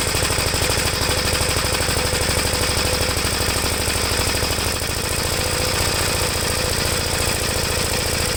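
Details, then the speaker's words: 1973 Gravely C8 single-cylinder with magneto points cleaned and regapped, warming up after cranking weakly on a low battery: uneven, lumpy chugging at about three beats a second; the owner thinks the carburetor is set too rich. "i think it's running too rich"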